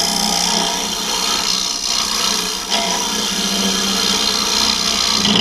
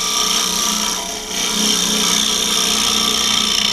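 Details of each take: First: Woodturning hollow form with swan-neck carbide hollower on a hollowing system: rough scraping cut over steady low buzz, tool chatter; lowering part of the system to add pressure at the tool rest often reduces it. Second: Smooth hollowing cut on a wood lathe with a Simple Swan Neck Hollower carbide tool in a hollow form using the Simple Hollowing System: steady hissy scraping, free of chatter after lowering part of the hollowing system to press the tool onto the rest.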